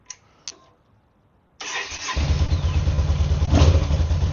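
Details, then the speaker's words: Yamaha V-Star 950 being restored after a crash, first start after replacing the crushed throttle cable: brief crank, catches cleanly into an even throbbing V-twin idle that picks up smoothly on throttle; healthy. "Okay, we got the throttle cable on. Let's start it. See if it revs up. See if it sounds good."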